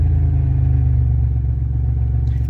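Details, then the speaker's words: 1990 Dodge Grand Caravan, cold start at about 35 degrees, the day after first running: steady, even low hum with the earlier lifter noise gone, likely a sticky lifter freed by a heat cycle; normal idle. "sticky lifter then I bet you the heat cycle freed it up yeah yeah that sounds good there's no noise"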